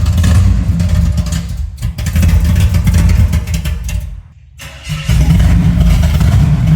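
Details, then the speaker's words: 1975 Chevy C10, first start of newly rebuilt engine: very loud, deep, raw unmuffled rumble swelling with each throttle blip; exhaust pipe had fallen off. "Dude, the exhaust fell off. That's why it's so loud."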